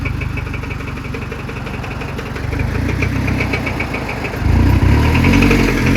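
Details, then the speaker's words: Scion tC after starter replacement, restarted with extra oil added: heavy rhythmic knocking that quickens and hammers louder when revved; engine called done for; rod knock. "Something's in there knocking. [Music] That [ __ ] is done for, bro."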